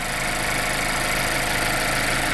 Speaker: like i said fires right up start real quick sounds like what you would expect it to sound like um no engine warning lights